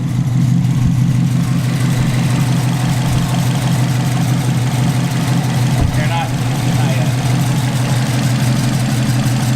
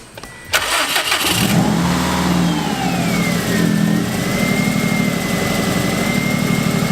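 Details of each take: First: Subaru WRX turbo petrol engine idling, not yet at operating temperature, after blow-off valve install; light loose metallic rattle over steady low hum from the turbo wastegate arm rattling, described as nothing serious. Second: Subaru WRX cold idle just after blow-off valve installed, not yet at operating temperature: quick start, flare, then steady even idle with faint high whistle; ticking from rattling wastegate arm; normal cold idle.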